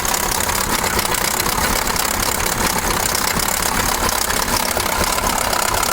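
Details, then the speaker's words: KamAZ 740 Euro-2 truck diesel, cold and not yet warmed up, starting poorly, with oil in the engine V; loud uneven knocking chatter about two hits a second; owner suspects cylinder 3 (or 7), compressor ruled out. "страшные звуки да очень страшная мне вот почему то кажется что это получается какой то у нас 3 получается цилиндр"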